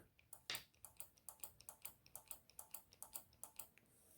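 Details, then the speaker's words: Single solenoid on a junkyard Land Rover ABS solenoid pack energised from a starter button; crisp evenly spaced clicks about four or five a second, felt by hand: solenoid working normally. "you can actually feel that that's how we know solenoid is working so on your vehicle you need to to test every single one make sure they're working"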